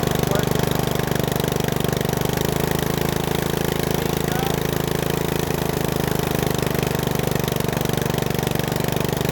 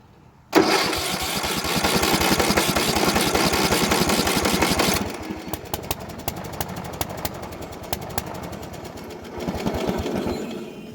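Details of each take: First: Bolens riding mower single-cylinder, revived after sitting a couple years, warmed up, idle lowered: steady, even putter with no misses or hunting; idle screw needs slight adjustment. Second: Bolens riding mower that sat for years, after a carburetor cleaning, with the choke off. It catches with a loud burst, runs rough, then sputters and pops like it's flooded and bogging. A new carburetor is on order.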